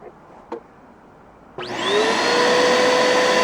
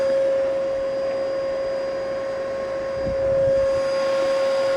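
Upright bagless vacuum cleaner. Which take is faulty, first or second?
second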